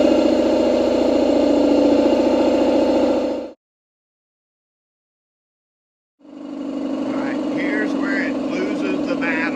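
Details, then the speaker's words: Speedaire Melben air compressor that couldn't build over 80 psi, tested after cleaning valve plate and replacing tank one-way check valve: steady even pumping chug about 3.5 strokes a second, running past where it used to stall. "okay that's something new normally by now it would be shutting itself down and quit moving so something we've messed with has made it better at least"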